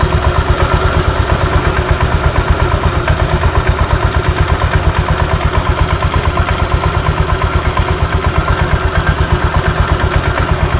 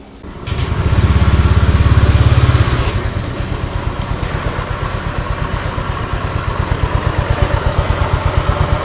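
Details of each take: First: Honda Vario 125 idling: sharp, regular tak-tak-tak knock about three per second that vanishes when revved; possibly loose rollers bouncing in the CVT front pulley roller housing. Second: Honda Vario 125 after CVT work with cover reinstalled: short rev then even steady idle, no ticking or knocking; idle tok-tok noise 100% gone after repair.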